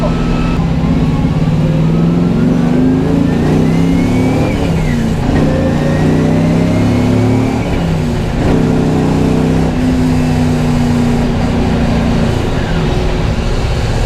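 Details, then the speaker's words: LS1-swapped Nissan S13 with C5 Corvette Z06 clutch, floored in second gear: V8 roars with pitch climbing steadily while the car barely moves, clutch smell; clutch slipping under load. "To the floor in second gear, and it just doesn't want to move at all."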